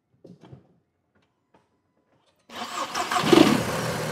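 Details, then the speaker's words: VW Jetta GLI with the mass airflow sensor unplugged: engine cranks, catches and settles into a slightly uneven idle on fallback fuelling. "so if you ever have a boost pipe pull off and you have a maf car you can just unplug the mass airflow sensor and the car should"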